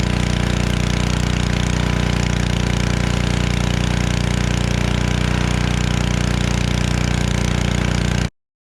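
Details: Generac 01292-2 pressure washer after carburetor replacement and pump bearing replacement and new oil, running with water: steady even engine drone, fast regular pulse, no knocks or grinding, runs smoothly then shuts off; repaired and working.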